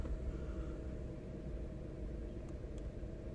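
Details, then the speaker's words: Citroen DS3 THP 165 1.6 turbo petrol convertible, bought as a dealer part exchange, start number 405; quiet, low, even idle with tiny variation then fully smooth, no misses or knocks; normal idle. "Again, idle seems okay. Tiny little bit of variation."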